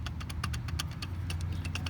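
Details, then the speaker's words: 2007 Mitsubishi Eclipse belt tensioner pulley, removed during AC compressor and condenser replacement and spun by hand: uneven gritty clicking and grinding from a worn bearing; it was also squeaking a lot and going bad. "And you can kind of also hear the grinding in this, so this was also going bad."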